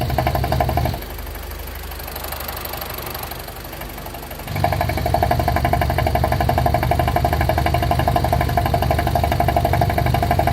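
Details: BMW E46 with N42B20A engine at idle: fast, even tick around four per second over a low rumble, quieter mid-clip; abnormal noise at idle, owner unsure whether it is a problem or normal.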